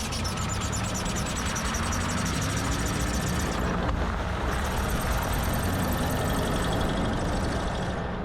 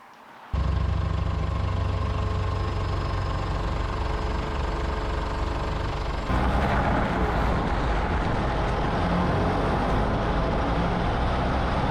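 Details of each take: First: 2007 Ford Ranger PJ rolling at low speed: a rhythmic high chirping squeak, about four a second, from a badly worn rear driveshaft universal joint; all three rear U-joints replaced. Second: 2007 Ford Ranger PJ test drive after replacing all three rear driveshaft universal joints: steady low drone, earlier low-speed squeak gone and less steering-wheel vibration; driveline sounds healthy.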